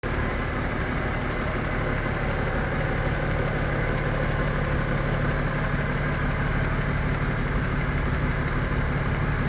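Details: BMW M57N2 diesel, 400+ hp, warm idle: fairly steady knock about two a second over clatter, absent cold, louder hotter; driven 30,000 km, no smoke or power loss; not vacuum pump, timing chains, balancer or pulley; owner suspects injector, high-pressure pump or piston.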